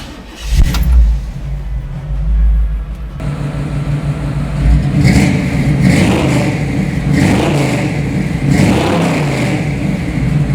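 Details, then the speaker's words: 1964 Chevrolet pro-touring truck with a frame-off restoration, tuned-port fuel-injected 5-litre HO V8 (300 hp), 700R4 overdrive automatic and Dana 3.73 rear. The deep V8 starts, settles, then rises and falls smoothly through several revs with no knocks or misses: a normal, healthy start and revving. "Anyway, let me fire it up for you because we listened to it once before. Let's listen to it again and I'll rev it up a little bit so you can hear what it sounds"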